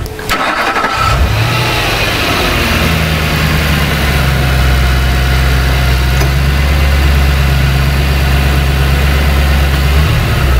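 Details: 2003 Ford Thunderbird with a failing drive-by-wire throttle that defaults and stalls, restarted with a scope attached: cranks briefly and settles to a steady low idle; the AC compressor clutch spike was found to cause the defaulting.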